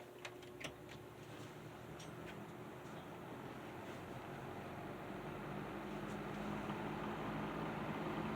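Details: Patton 12" box fan after servicing and cleaning, on low speed: a soft, steady airy hum that builds smoothly and stays even, with no rattles or ticking; normal running.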